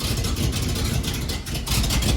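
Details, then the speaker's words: K5 Blazer after an engine swap, started after sitting a few days with the new exhaust not yet welded. Rough, low idle that the owner thinks needs raising, with sharp puffing and chuffing at the firing pulses; exhaust leaking at the unwelded joints. "Yeah, it actually did. I think I need to raise the idle a little bit. And of course it is leaking everywhere right now since we haven't welded anything."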